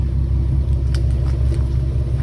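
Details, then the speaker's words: Nissan 370Z after Motordyne Art Pipes install with resonator, deep even idle rumble with steady burble, no rasp or hiss; quieter, less rasp, exhaust sounds healthy. "and actually sounds pretty good it's not too loud the tomi is a lot louder"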